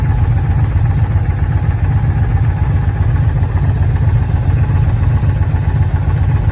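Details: Dodge Challenger at idle with misfire codes; deep idle with uneven loping beat and occasional stumbles instead of a smooth pulse, indicating a misfire.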